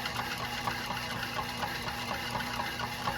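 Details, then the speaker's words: Homemade air compressor built decades ago from a refrigeration compressor, nearly 100 years old: soft, steady clicking about twice a second over an even hum, quiet with no rattle, unlike oilless compressors; running normally. "Listen to it. It's quiet. Not making that terrible sound that you get from those oilless ones."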